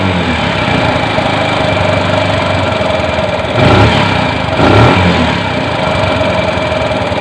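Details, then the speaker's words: Bajaj CT 100 single after spark plug and tappet clearance fix, idle being adjusted: loose clattery rattle over idle, swelling on two throttle blips, identified as timing chain guide. "Ayusin natin yung menor. Okay yung ganyan mga pre na ingay. Timing chin chin guide yan."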